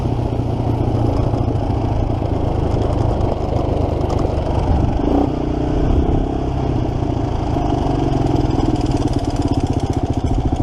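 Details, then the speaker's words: 1987 Kawasaki Mojave 250 ATV while riding, throttle sticking: thumper with loose metallic clatter on each beat rising and falling with throttle, chain starts slapping, tensioner suspected completely loose; timing chain noise. "do you hear that chain start slapping right there"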